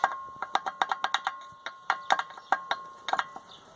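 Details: VW Golf MK3 brake caliper: light metallic clicks in uneven bursts, several a second, no engine; hooked brake pad loose in its caliper mount, rattling.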